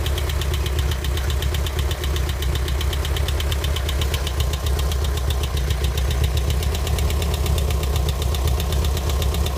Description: Knocking sound from my 1984 Volkswagen Vanagon?? It was fine yesterday. Any ideas?